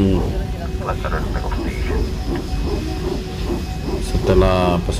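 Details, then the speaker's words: Cabin audio from an airliner taxiing before takeoff: irregular low thumps and rattles, about four a second, over a rolling rumble that unsettled passengers; thought to come from the landing-gear wheels, since it faded once airborne, source unconfirmed. "tapi rupanya ini bunyi-bunyi berasal dari roda pesawatnya berbunyi"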